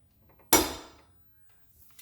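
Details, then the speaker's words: 2001 Subaru Impreza 2.5 RS, rear axle dragged by hand after coilover work: single sharp clunk, noise persists; owner suspects the cheap off-brand lateral trailing arm, not confirmed. "i'm gonna drag the axle again the sound is still there so uh it could be this lateral trailing arm"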